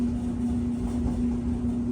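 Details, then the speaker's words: Whirlpool Duet dryer after fixing a loud squeak at the idler pulley: steady even drum rumble with smooth low tone, no squeal or screech, and heat working; a slight vibration has always been present. "and we have heat folks no screeching"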